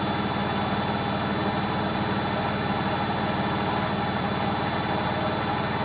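Constant low, engine-like roar throughout the spin with a rough pulsing undertone, the classic growl of worn drum bearings.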